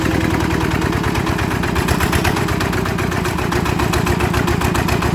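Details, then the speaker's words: Yanmar TF85 LM single-cylinder diesel after repair for stiff turning and knocking, leaking injector O-ring; steady even idle thump with only faint gear whirr, no knocking, gears very quiet; normal running. "นี่ถือว่าเงียบมากใช้ได้นะครับเสียงเืองนะครับ"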